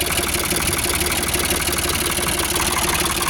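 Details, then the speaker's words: Ford 4600 tractor diesel after fitting a service-exchange injection pump: steady, even clatter at a low idle around 700 rpm with no labouring or misses; the engine sounds normal. "It sounds alright. Doesn't sound like it's labouring or anything"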